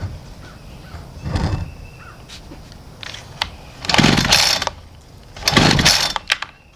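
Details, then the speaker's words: Homelite string trimmer on half choke after priming: catches in short half-second bursts twice, then dies; not drawing fuel, fixed by replacing the gas tank, fuel hoses and cap; fuel starvation, starts then dies. "so that's what the complaint is on this thing it starts up and then it dies"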